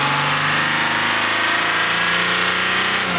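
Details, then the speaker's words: 2005–2010 Jeep Grand Cherokee WK CRD OM642 diesel, noisy at low gear, high rpm, high throttle: harsh airy hiss and faint rapid puffing over the engine; owner suspects an exhaust leak near the turbo, possibly a right manifold flex joint. "all right so as of late my Jeep has been kind of noisy when I'm at low gear high rpm high throttle position so I'm thinking I have a a leak on the tailpipe somewhere up near the turbo"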